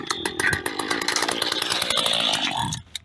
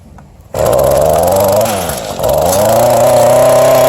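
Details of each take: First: Mantis cultivator tiller pulled from a scrap pile, with compression but a bad primer ball: small two-stroke buzzes raggedly at high revs then cuts out after seconds, running only on fuel poured into the carburetor. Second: Mantis cultivator tiller from scrap pile, small two-stroke, primer ball bad, run on its side on the ground: fires at once, steady crisp buzz rising and falling cleanly with throttle; runs normally.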